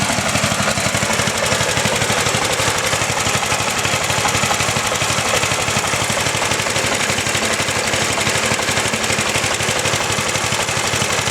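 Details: Healthy factory 8 hp lawn tractor engine, side panel removed: steady fast popping beat at even idle, shaky and a bit rough as singles are, no knock or miss; normal small engine idle.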